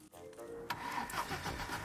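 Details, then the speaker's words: Abandoned police service car found in snow, fitted with a battery brought along, cranked with a spare key: starter spins the engine freely and evenly with no binding, but it never fires; engine not seized, spark not yet checked. "Baguslah, enjin tidak tersekat. Jadi, kita boleh gunakannya untuk hidupkan dan pandu."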